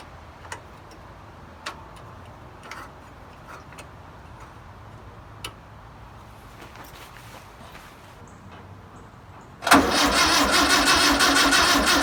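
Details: 1962 VW Type 2 bus engine, first start after sitting over 40 years, with spark, new belt, cleaned points and fuel poured in: scattered light clicks and taps, then it suddenly fires and roars into a loud busy run; it starts.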